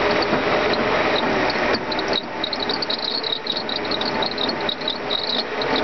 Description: Sound of Bad pulley for Airpump m119 engine